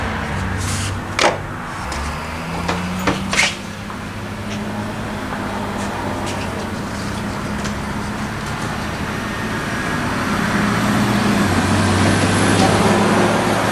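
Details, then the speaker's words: 1979 AMC Spirit AMX abandoned for years, fuel poured down the intake, on the starter: a few clunks, then a slow, labored crank of about three beats a second that never catches; no spark, does not sound like it has compression. "Cranks. Doesn't crank well. Fuel. No spark. Cranks over horribly slow. Does not sound like it has compression."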